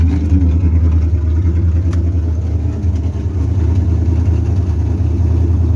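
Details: 3rd gen Camaro 305 TPI V8, previously crank-no-start, now starting and running with injectors reconnected: deep steady idle with slightly lumpy rumble, no misses or stumbling; normal idle.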